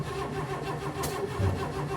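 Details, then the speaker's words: 1958 AMC Rambler Super with new engine, after timing readjustment: starter churns it in quick even beats but it never fires; oil pressure gauge works; crank no start, fuel delivery suspected but not confirmed. "the oil pressure yeah but that's all we got that's all we get it doesn't start yeah it doesn't start"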